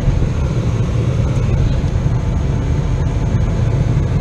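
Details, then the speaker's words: 2004 Jeep Grand Cherokee whose blower ran strong at all speeds but blew weakly out the vents, just after the fix behind the glove box: strong, steady low rush of air with no whine, ticking or rattle. Normal blower operation with strong vent airflow. "oh my god wow it not only blows but it blows like a it's really blowing I mean this is better than most of the trucks I've had"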